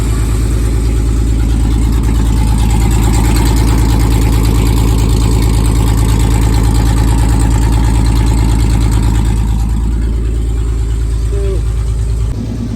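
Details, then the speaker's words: Warmed-up carbureted engine in an S10 hot-rod trash truck holds a steady lumpy idle with even firing and no knocks or misfires, then settles as it is shut off; healthy, though the carburetor may need tuning for the elevation change at the track. "Alright guys, I don't know if you can hear me, but it's warmed up. Got a little ways to go here. Starting to get there."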